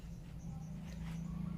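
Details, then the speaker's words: Worn rusted drum bearing removed from a Panasonic front-loading washing machine, spun by hand: a steady, gritty, loud low growl. "यह पुराना बेयरिंग है। आवाज सुनिए, यह बहुत तेज है ।"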